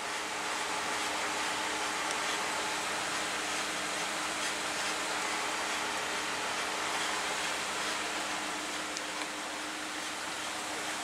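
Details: 2017 Ford F-150, 5.0 V8, 6-speed automatic, 8.8 rear differential, after rear-end rebuild for a whine noticed while towing: steady road and tyre roar at cruise, no gear whine rising with speed; rear end quiet and healthy.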